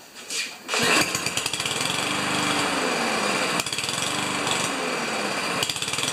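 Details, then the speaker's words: Powermore (Yard Machines) lawnmower that starts and stalls, running on two-stroke priming fuel drawn from a can into the carburetor intake: catches and runs fast but surges and drops in bursts, dying back between feeds; runs only on fuel fed into the intake. "so it was actually drinking I wasn't pumping it much but in between like I left it for about 30 seconds was actually drinking right out of the can and into the carburetor just from the intake pressure so that's a good sign"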